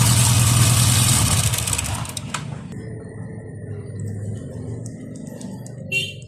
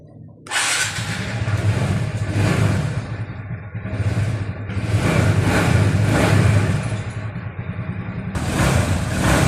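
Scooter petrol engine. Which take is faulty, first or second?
first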